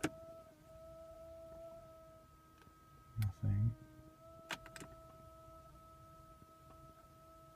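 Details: 2010 Toyota Prius that won't start, electrical problems suspected: faint steady mid-pitch whine in the quiet cabin with a few clicks and thumps; brake pedal very hard, nothing happens.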